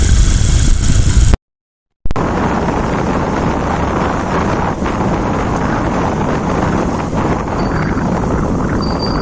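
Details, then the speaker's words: Hero Shine motorcycle after engine rebuild and primary gear replacement, which fixed a crack-like noise, microphone low near the engine; even steady idle with some wind rush, no knocking or gear rattle; sounds healthy. "जो भी इसका sound था वो भी बिल्कुल sound बिल्कुल बढ़िया first class कोई भी दिक्कत"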